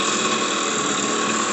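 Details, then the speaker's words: Custom motorized bicycle two-stroke with high-performance ignition, VM18 carburetor on shimmed offset manifold, no air cleaner, no reed valve, no chambered pipe: steady, even idle buzz with no misses or surging; normal idle. "You can hear it idles nicely."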